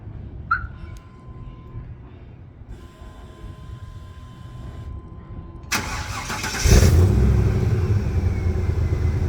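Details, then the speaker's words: 2000 Chevrolet K3500 with 7.4L (454) big-block gas V8 at 147,000 miles, no codes: remote start, then a steady, even idle with no knocks or misses; sounds healthy, normal start and idle. "let's do remote start one more time just cuz it sounds so good and I'm going to miss this sound"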